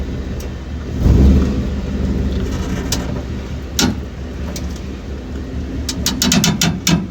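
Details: 2012 Ford F-150 pulling out of a driveway, with new shocks and new springs already fitted: sharp, irregular pops from the rear end over a low engine rumble; the cause is unknown.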